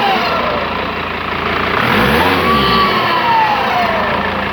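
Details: Whistling turbocharger on a Mercedes W210 2.7 CDI diesel: a thin, faint whistle over the engine that rises and falls with revs; turbo whistle, cause not yet identified.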